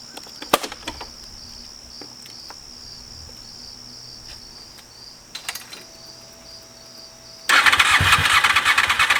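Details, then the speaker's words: 2001 Honda VFR Interceptor (Gen 5), first start attempt in eight years after barn storage; fresh fuel, fuel pump primes, weak battery so on jump box; couple seconds of quick even cranking, spins over but never catches. "uh got some gas in it uh learned some valuable things so it it uh cranks over"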